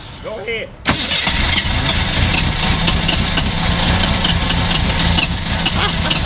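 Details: 1985 Ford Mustang notchback with original engine, sitting about nine years: short crank, catches just under a second in, settles into a steady slightly lumpy idle with no knocks or misses; healthy start.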